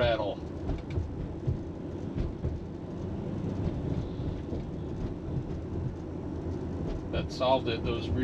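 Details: 2001 Toyota Avalon on a test drive over bumps after replacing the rear sway bar bushings (17 mm bar). Only steady tyre and road rumble, with no clunks or rattles. Clunk fixed; normal quiet ride.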